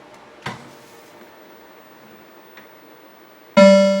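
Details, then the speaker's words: Mortal Kombat 2 arcade sound board after repair with ribbon cable red line on pin 1: near silence, then a clean loud ringing tone that fades; normal power-on test tone, fault was a bad U37. "so now when I turn it on we should hear the test tone and we should have normal game sounds so here we go"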